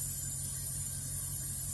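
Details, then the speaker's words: Scrapyard-rescued Ford Fairlane on first real test drive with new exhaust; low, steady rumble with even slow beat, idling at 500 RPM, no misses or knocks: normal idle. "that seems to be running good it's idling at 500 RPMs"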